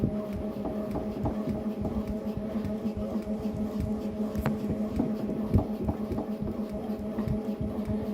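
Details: Tacx Neo smart bike in ERG mode while pedalling: soft, fairly irregular knocks about three per second over steady hum; tightening the left crank arm didn't help, source still unknown.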